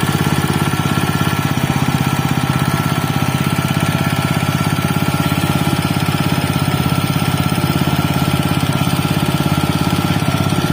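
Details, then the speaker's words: Used Robin Subaru EX21 engine (7 HP, 211 cc air-cooled 4-stroke OHC single cylinder, CDI ignition): an even steady thump at constant speed with no knocks or misses, running smoothly and healthily. "Hai seperti itulah tadi temen-temen bunyinya dari Robin ex21 ya walaupun bukan dalam kondisi baru tapi terdengar suaranya itu masih sangat halus yah dibandingkan dengan yang lain"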